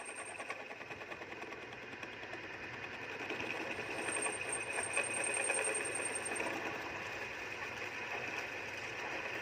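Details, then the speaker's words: Lathe turning a built-up crankshaft end, first rough pass: rattling chatter about three times a second mixed with a hissing cut, as the tool hits weld bead that is harder than the steel. "ผ่านๆนี่ครับเสียงมันจะ2เสียงนะครับชึดๆๆๆแล้วก็แก๊กๆๆๆๆๆนะครับที่แก๊กๆเนี่ยนะครับรอยเชื่อมนะครับรอยเชื่อมมันจะแข็งกว่าเหล็กนะครับผม"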